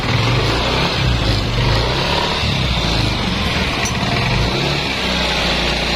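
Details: Yamaha Nmax scooter after repair of a wiring fault that caused crank-no-start: steady, even single-cylinder putter holding a constant low note with no misses or surging; normal idle.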